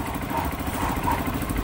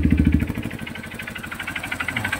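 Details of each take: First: Honda CRF150 single, previously noisy with a knock, now quiet: even idle with a steady beat and no deep knock under it; bottom end sounds healthy. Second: Honda CRF150 single idling with the exhaust covered by hand: uneven idle with a hard, sharp, loud clattery knock from low in the engine; owner suspects the connecting rod, teardown planned next day.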